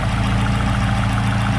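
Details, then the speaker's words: Chevrolet Aveo T250 petrol engine with added gas (LPG) equipment, nearly warm, idling smoothly and evenly on gas; on petrol it shakes and misfires at idle, no fault codes stored. "двигун робить рівно робить рівно так перемикаємось знову на паливо"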